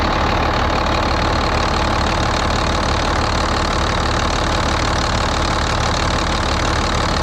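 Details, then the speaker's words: Volvo A30C articulated haul truck diesel idling, inspected for purchase, with a sharp puffing tick about three times a second over the rumble; exhaust leak the seller had disclosed. "that one's definitely got an exhaust Lo which they said it did you can hear that exhaust leak in this one pretty good"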